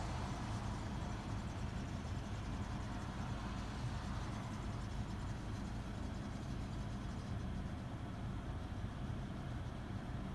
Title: Rattling Sound from Toyota corolla 2017 when in idle